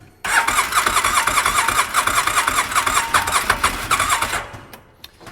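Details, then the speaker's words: UTV after intake boot replacement; catches and runs lumpy with uneven pulses for about four seconds, then dies, owner suspects someone misadjusted the idle setting, cause unconfirmed. "I bet somebody has messed with the idle on that thing trying to get it to idle right."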